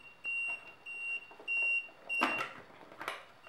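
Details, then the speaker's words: Solar powered wireless 100 m infrared perimeter beam detector, cover open during setup: short high beeps repeat about every 0.6 seconds over some cover clatter, warning the beam is not lined up or connected. "detector which is beeping at me now because it's not lined up"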